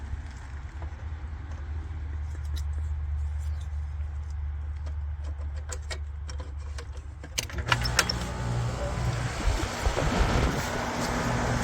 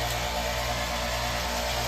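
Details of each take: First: Amana AC condenser after replacing the bad 50/5 µF 440V capacitor: a low hum, then a clean start into an even full-speed fan rush. The compressor runs at full capacity and quietly, with none of the earlier strained humming or freeze-up. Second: Amana AC outdoor unit starting to freeze up: steady low compressor hum with faint hiss but no fan whoosh, condenser fan not running; usually a bad fan capacitor.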